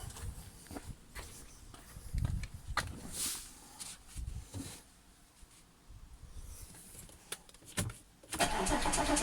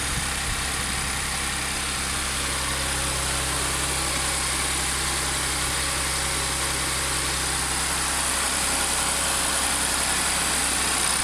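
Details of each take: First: Audi S4 B8 3.0T supercharged V6, first start after repair of P0018 bank 2 timing chain that jumped a sprocket: brief light chatter over rough idle that quickly fades; tensioners had no oil yet, rattle until oil pressure builds. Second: Audi S4 B8 3.0T supercharged V6, first start after repairing a bank 2 P0018 camshaft correlation fault (timing chain had jumped a sprocket); brief initial noise clears as the tensioners fill with oil, then an even, steady idle with a hissy top end, no knocks or ticks; normal idle.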